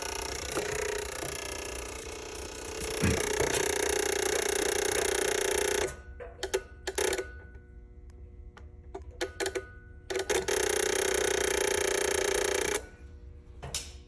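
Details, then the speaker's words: Ford reman OBS 7.3 diesel on a test stand, powered by one positive wire via push button and jumper leads: a steady hum breaks into scattered irregular dry clicks, then steadies; relay chatter, probably from a finicky jumper-lead connection. "So, like you saw there, if those relays are clicking, you got to get it just right till they stop clicking. That's probably more so just a connection issue because I'm using jumper leads and blah, blah, blah and everything else."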